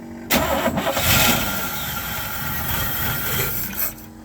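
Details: 1972 Chevy C10 pickup with 350 V8, sat in a barn 30 years, cold at 29°F, primed with no fuel in the tank; catches after a couple of coughs, runs a few seconds with a steady rumble, then fades as primed fuel runs out.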